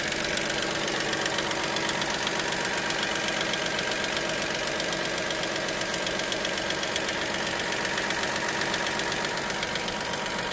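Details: Dacia Sandero SCe 75 at idle: light, steady ticking about two to three times a second over a smooth idle; source not yet known.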